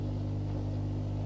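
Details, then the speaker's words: 20-year-old Hotpoint 6834 dishwasher that wasn't draining, drain pump removed, cleaned and refitted: steady, even low hum with no rattle, gurgle or grinding; now draining normally after the repair. "there we go it's now draining"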